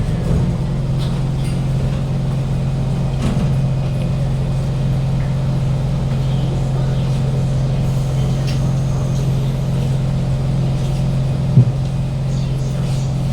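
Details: Kawasaki C151 trainset 067/068, East-West Line from City Hall to Lavender, recorded in carriage 1068 at door A4/B4: a loud, steady low drone and rush of air from the air-conditioning and ventilation, loudest when decelerating into stations and subsiding only at a full stop. Loud ventilation noise.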